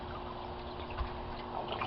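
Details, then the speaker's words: Aquaponics gravel grow bed siphon at end of drain: low watery trickle, then a short gurgling gulp as air breaks the siphon and flow stops; normal cycle before refilling. "You'll see the water coming out of the pipe will slow down to a trickle, and then you'll hear a gurgling sound and it'll stop. And then the cycle will start over again. And there's the gurgle,"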